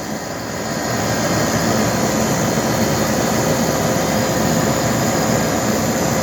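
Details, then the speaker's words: AC condenser compressor just started after installing an ICM 870 soft starter, with a 45/5 µF capacitor, drawing 16.03 A: steady, even rushing hum with no knocks or rattles that quiets as it runs; normal. "Alright, so now you can hear the compressor a little bit, and it gets quieter obviously as it's running."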